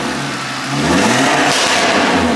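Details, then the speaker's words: Audi RS3 with a fully forged engine, first start after the rebuild, still on the old hybrid-turbo tune: crisp, even revs climbing and falling with sharp exhaust crackle on lift-off, no knocks. Normal revving. "the r three is alive can't believe it man"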